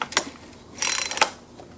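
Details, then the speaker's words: Husqvarna 120 chainsaw: short bursts of light ratchet clicking as the pull rope is pulled, but the engine won't crank over; it feels like the recoil starter mechanism is slipping, though a compression problem is not yet ruled out. "it feels like something slipping"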